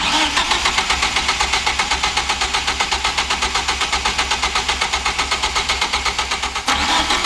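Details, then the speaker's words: Mid-engine Mitsubishi Eclipse 4G63 idling after oil pan refit, sharp regular knock about four per second, only at idle, seems from the bottom end, though bottom end was checked, looked good and had no play. "it only does it at idle this is now all uh chanel the main priority i'm sure you can hear that noise through the camera that ain't good"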